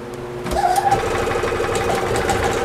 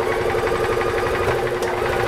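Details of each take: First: Gas EZGO TXT golf cart (1996 or 1999), running with the choke hooked up: engine runs unevenly with rattly clanging and chatter over the idle. The starter generator belt is slipping quite a bit; the clutch is also suspected to be failing. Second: Gas EZGO TXT golf cart (1996 or 1999), after the starter generator belt was tightened: small single-cylinder engine runs evenly at a steady rhythm. The clanging is gone; normal running.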